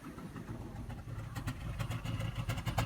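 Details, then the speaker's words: 2005 Cadillac DeVille at idle, heard at the exhaust, shaking badly: uneven exhaust note with irregular puffs and stumbles; bad misfire, cause not determined, seemed to clear after revving to hold rpm. "it is shaken like crazy and it is not firing correctly here look what my hands are walking on that's not a normal Idol it is misfiring badly"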